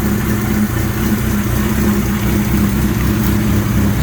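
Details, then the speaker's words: Suzuki GS1100E custom build, four-cylinder, after a cold start while running its fuel out: smooth, even idle with a steady low burble, no knocks, ticks or rattles; quiet, regulator rectifier running cool, healthy. "gotta love this there's no noise it sinks nice and wide nice and quiet engine regulator rectifier is running cool"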